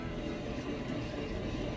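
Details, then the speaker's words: Honda Civic FD rear wheel spun by hand off the ground: constant gritty rumble, clearly from the bearing; it howls from the rear and gets louder at speed. Worn rear wheel bearing, to be replaced. "นี่ได้ยินเสียงไหมครับเนี่ยชัดเจนเลยครับเป็นที่ลูกปืนนะครับผม"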